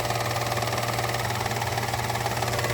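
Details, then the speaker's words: 2015 Peugeot 308 1.0L three-cylinder petrol, about 34,000–39,000 miles, fully serviced, fresh oil change, at idle: uneven, choppy pulse over a steady low hum, with a new worrying noise; rough idle, cause unknown. "There's two things. One is it sounds choppy."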